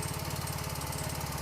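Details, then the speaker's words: Yamaha Fino scooter with loud ticking: smooth at idle, but a quick regular light tick tracking engine speed appears on slight throttle and disappears when released: worn camshaft ticking. "Jadi, begitu kita menginjak gas, sedikit menaikkan gas, kita akan mendengar suaranya, kawan. Suaranya cukup keras, kan?"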